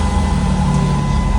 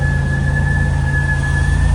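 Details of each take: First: Demolition derby project van, V6, 202,000 miles, instrument cluster fixed, restarted after reconnecting wiring following a stall; low, even idle hum with a faint steady whistle the owner finds interesting, no misses. Normal idle. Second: Demolition-derby car project idling: a steady high whistle holds one pitch over a low, even idle rumble; the source of the whistle has not yet been found.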